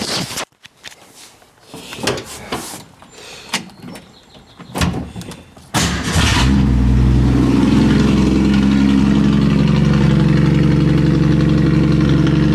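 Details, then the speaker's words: 1965 Ford Mustang with rear end being removed, weekly start-up: a few uneven knocks and bangs while cranking, then a steady deep idle; owner assumes the disconnected driveshaft, resting on a block at the transmission, got kicked and fell off. "what that noise was whenever I tried to start it the first time there in the beginning was I had the drive shaft disconnected and resting on this block here coming out of the transmission I'm assuming whenever I tried to fire it up it got kicked or something and fell off the blocks"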